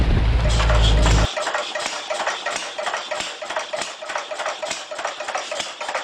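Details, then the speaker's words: Small-block Chevy with valve covers cut to adjust lash while running, idling: fast even ticking about three to four per second, a light valvetrain tap on one side that can't be isolated by pressing or adjusting rockers. "I know you can hear that tapping. Cannot isolate it to save my life."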